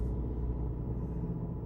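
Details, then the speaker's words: Opel Vectra B (about 1999–2000) with the Y16XE engine in limp mode after an engine control unit replacement, with no fault light. Low, steady drone that will not rise above about 1500 rpm even with the pedal floored, while the idle runs high and hunts. "Натискаю на педаль акселератора. Більше півторитисячі не піднімає. І помилки чомусь не світяться."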